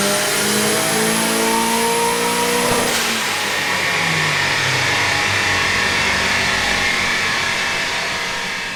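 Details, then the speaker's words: Mk2 GTI with built AWC 1.8T 20v, T70 .63 turbo, 270/257 cams, 980cc injectors, ECU Master, first dyno pull on the old map: clean, smooth climb through the revs, then lift-off with a fading whistle; no misfires or knocks, healthy full-throttle pull. "So that was the first dyno pull. That was with the old map."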